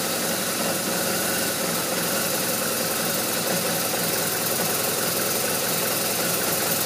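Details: BMW R1200RT boxer twin idling with a busy, ragged note that never settles into a smooth beat; rough idle, cause not yet pinned down.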